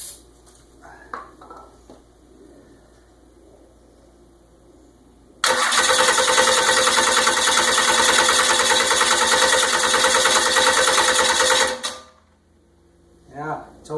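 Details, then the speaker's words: Freshly rebuilt 12-valve 5.9 Cummins diesel, first start attempt: steady, even cranking about three turns a second for six seconds, never fires; owner suspects timing, though he has checked it many times, and plans to check the valves. "like something's wrong with the timing those tier cables will get hot too de if you crank it too long well it's not going to start so it's not going to start I have something something's wrong"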